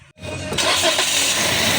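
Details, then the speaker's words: Toyota Vios after replacing a tilted, failed belt tensioner that had contacted its body (noise complaint from engine/exhaust area): engine cranks, catches and runs steady and even, no squeal, chirp or rubbing from the belt drive, with aircon on; normal running. "Ayan okay na. Wala ng ingay wala ng tunog."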